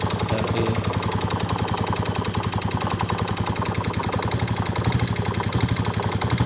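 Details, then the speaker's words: Yamaha Vega Force fuel-injected motorcycle, cam chain and piston already new: fast rattling tick like a valve/cam chain over a rough single-cylinder idle; cause still unknown. Top-end ticking noise. "kita kedatangan motor Vega Force yang injeksi kalau hanya teman-teman nah selalu bunyi kayak rantai klep Seperti apa suaranya"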